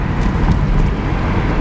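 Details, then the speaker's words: 2003 Toyota Corolla driving after a new exhaust system install: deep, smooth exhaust drone with road rumble, no rasp or rattle, way quieter than before; exhaust now sounds normal. "way quieter than before doesn't sound all raspy and like a [ __ ] box it just sounds like a normal car now"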